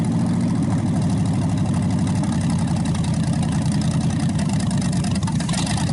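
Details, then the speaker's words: Packard 374 cu in V8 at idle on repeated warm-up restarts burning off oil after carburetor cleaning: deep even rumble, no misses, knocks or ticking, nearly stopped smoking; owner thinks it's a good engine. Normal idle. "So okay, folks, every time we started it, it got better and better, and just about completely quit smoking. It's not skipping, no noise."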